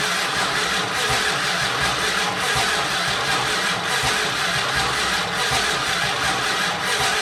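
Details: 1968 Dodge Monaco 500, rebuilt 440 Magnum V8 first-start attempt after 36 years, fuel supplied: long even cranking rhythm with hiss, no firing pulses; no spark from the ignition.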